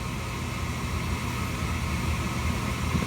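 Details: Slant-Fin VSPH-120 gas boiler inducer fan before ignition; steady even whoosh with low hum underneath, no rattles or scraping, normal pre-ignition purge.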